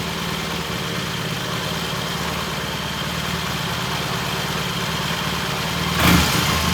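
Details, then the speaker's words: 1968 Triumph T100 twin during the ignition timing check, timing found dead on and mixture good: even, steady idle pulse with no misses or knocks, short blip near the end; holding idle though there's no slack in the adjustment. "This is good idle here. It's holding the idle."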